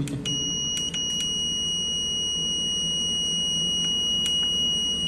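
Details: HAUDIO EX-8 audio processor (karaoke "vang") at power-on: steady shrill high-pitched beep throughout the boot sequence, which stops once startup ends; the unit then reports a DFP error fault and has no sound output.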